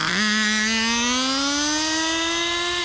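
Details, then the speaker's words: Turbocharged nitro RC car: high, screaming engine note climbs and holds flat near the top without upshifting into second; transmission or clutch suspected burnt out, possibly still running rich; cause unconfirmed. "that thing is screaming I wish it would shift into second man that stinks"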